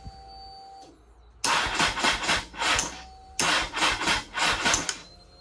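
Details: 2002 Honda CBR900RR (954) Fireblade, 22 years old, first start after sitting for months and basic cleaning, weak battery: two short bursts of uneven rapid firing that catch and fade before settling; engine fires and starts.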